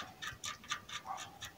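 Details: Bicycle rear hub being disassembled and refitted over a knocking at the rear axle. Light, even ticks about four a second as the wheel coasts, with no grinding or rubbing; the hub spins freely.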